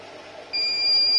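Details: Havells smart RO+ water purifier that will not fill or drain and whose motor won't run, after a reset attempt: a high steady beep holds without a break after a short pause; still in an error state.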